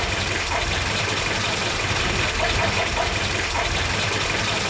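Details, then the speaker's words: WW2 Willys jeep tuned with a Colortune: rough idle with faint rapping knock under the engine noise as the mixture is leaned out; lean detonation (pinking). "It sounds like a, you know, knock, knock, knock, let me in. So let's have a quick listen. You can hear as I lean it out."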